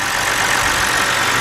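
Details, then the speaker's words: 2010 BMW 528i, 3.0 engine, with code P0305 (cylinder 5 misfire) and rough running, after replacing the faulty cylinder 5 ignition coil: a steady, even idle with a smooth hum and no stumble; misfire gone. "I feel a difference already, guys. Yeah, buddy. Alright, guys, look at that. No misfire whatsoever."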